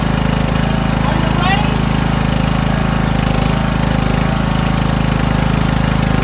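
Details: Toro Wheelhorse 1438HXL with repowered 17.5 hp engine, after mower deck belt and pulley replacement, deck engaged: steady even single-cylinder chug at constant pace under deck load, no knocks or squeals; everything works. Normal running with deck engaged.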